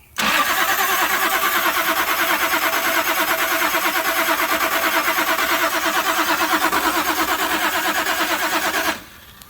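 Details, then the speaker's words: Toyota Supra after sitting since 1995, plugs out, spark tester hooked up: steady cranking about three turns a second for nine seconds, no firing; no spark, ground okay. "All right, no dice. No spark. Ground looks okay."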